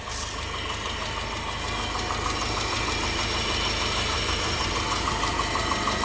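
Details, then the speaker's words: 2009 Subaru Forester 2.5X jump-started, rough idle with faint regular knock about three per second; owner suspects rod knock, glitter in oil, stalled twice, low power; slight knock, not revved much; engine knock unconfirmed. "the owner told me that it likely has a rod knock i could hear a slight knock but it wasn't that bad"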